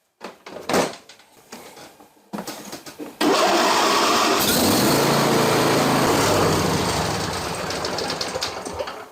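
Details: John Deere LA165 lawn tractor engine started after a spring oil and filter change and run about a minute and a half to circulate the oil. After some clanks it settles into a steady, even run with no knocks or misses; normal idle.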